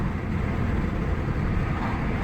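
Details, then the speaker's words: Ford Mondeo Mk4 1.8 diesel, previously in limp mode with no power and fault P2263, on a road drive after a carbon clean; deep even drone with no stumbles or flat spots, plenty of power, accelerating normally. "It was going into limp mode straight away, no power before. Wow. Look at that. Plenty of power there. Nothing wrong with that."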